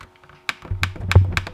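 Each press gives a crisp, distinct click with a clean snap; the push-button switch is working properly.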